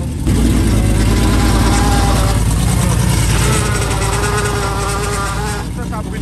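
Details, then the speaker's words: Car, power steering system empty/low fluid while bleeding air, wheel turned to lock: loud engine with rising wavering whine as wheel turns, pump running dry; whine from low power steering fluid. "Voilà. Ça c'est bon. Quand c'est vide, c'est censé faire ce bruit là."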